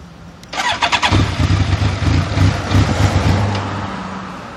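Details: BMW K1200S that won't start without throttle and won't idle when the throttle is released: a short crank burst, then an uneven, stumbling run that dies within seconds; hard starting, cause unclear.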